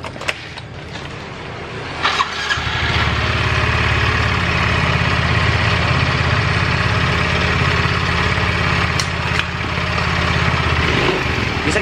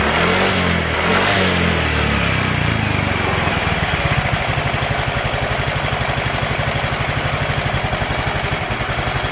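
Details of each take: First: Yamaha Mio Soul GT 125 automatic scooter, recently had block and cylinder head work elsewhere, starts and idles with a harsh, tinny rattling noise and tends to stall. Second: Yamaha automatic scooter after fuel pump replacement, previously rough-sounding and stalling suddenly: after a brief rev it settles to a steady, even putter about four beats a second, no stumbling or dying; earlier rustling noise gone. Normal idle.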